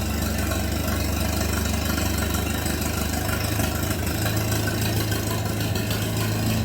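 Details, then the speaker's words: Minneapolis Moline BF tractor after in-frame engine rebuild, no exhaust fitted: loud, open, even chuffing at a steady low idle with no knock or miss; healthy idle. "that's pretty good that's what she sounds like without the without the new exhaust"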